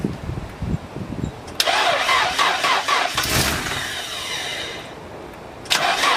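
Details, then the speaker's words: Nissan 240SX engine, first start after reinstalling the engine: it catches, then on letting off the gas hangs at about 2,000 rpm by itself; owner suspects a loose intake coupler or vacuum lines admitting extra air. "as you guys just saw it started and I let off the gas and it revved all the way up to 2,000 rpms by itself so what I'm thinking is that one of the couplers for this rice intake is probably loose and there's you know some vacu lines so it's getting too much air and it's kind of just revving up by itself"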